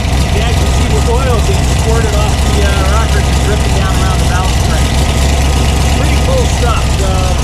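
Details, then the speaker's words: Ford 302 small-block V8 in a Factory Five Type 65 Coupe, just fitted with AFR 185 heads and firing order corrected: steady, even idle with a firm low rumble, no misses or knocks; normal idle. "so that's it the thing is running we're going to go out and test drive it"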